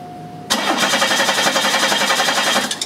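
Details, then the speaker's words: 1991 Chevy Cavalier 3.1 L with good spark, cranking during an injector current test: steady cranking about four beats per second, never catches; scope shows almost no pulses versus expected 2.5 A per three-injector bank; no injector pulse, shorted injector. "keep cranking as you can see in this capture there is no activity on here on occasion we're getting uh a little bit of pulsing on the screen but nothing like what we should have which I told you should be about 2 and 1/2 amps for a bank of three injectors"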